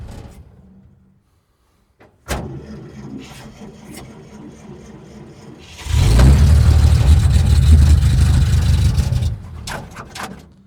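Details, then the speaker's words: 1947 International truck, held wide open on choke: it cranks, catches, and runs rough for about three seconds before stalling. The carb bowl seems to fill briefly and then drain; the carb or fuel pump is suspected. "Acts like it's getting just a little shot of gas to fill the bowl up, just enough to run for a second or two, and then drains, empties."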